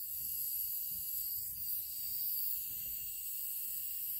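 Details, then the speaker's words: Honda Civic with 200k miles, AC system after vacuuming. A thin, steady high-pitched hiss comes from refrigerant leaking at a service-port Schrader valve connector. "unfortunately I have a leak this connectors I don't know if you guys can hear it"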